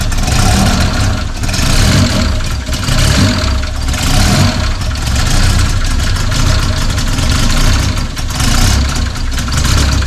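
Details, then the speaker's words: Freshly built forged, bored 2.5 engine with custom cams, billet rods and pistons and new turbo kit in an MX3, first start-up: lopes unevenly, surging about once a second with a lumpy stumbling note and heavy smoke; running rich, owner suspects vacuum leaks. "w she's running rich Jesus she runs but holy smoking out the shop that's good news though"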